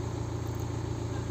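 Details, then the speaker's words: BMW 118d (Serie 1) N47 diesel idling after alternator/regulator replacement for battery warning light, while checking voltage at battery with multimeter: smooth low rumble, no knocks or whine; charging now 14 V, alternator working. "Vamos a comprobar con el polímetro atrás en la batería a ver cuánto cuánto por voltaje tenemos a relentín."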